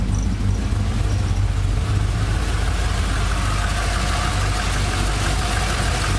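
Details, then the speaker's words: 1999 Holden R8 Clubsport Gen III LS1 V8, 250,000 km, first start after cam swap, idle propped up, no warning lights, temperature fine: warm choppy, uneven lope from the bigger cam with steady low rumble, running smoothly; normal cam idle. "Well, you can certainly hear the camp. That's not too bad, is it?"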